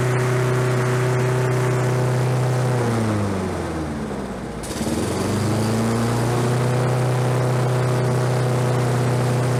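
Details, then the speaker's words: Roadside-discarded Lawn-Boy 21-inch self-propelled walk-behind mower, revived on fresh gas, low compression felt: small single-cylinder hums steadily, sags briefly, then recovers and holds; running normally. "like i say this is out on the side of the road with the trash and it runs now"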